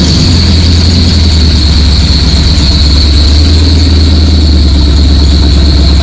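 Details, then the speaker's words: Muscle car after a flat tappet lifter update, cam broken in for 20 minutes without trouble, compression ratio raised from 7.58: loud, steady, deep idle with an even lope and a faint high whine; runs smooth and healthy. "I got to tell you, this thing really sounds good."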